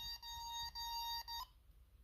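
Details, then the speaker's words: Bosch D7212 GV2 alarm panel after command 47 sensor reset. Shrill steady beeping with short gaps, then silence: the fire alarm sounded again because the zone wasn't properly closed. "Okay, so it is not a big fan of me uh it needs a second to reset."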